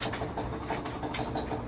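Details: Clothes dryer running with a high squeak and dull knock repeating about three times a second in time with the drum; loud knocking and squeaking while running, later fixed.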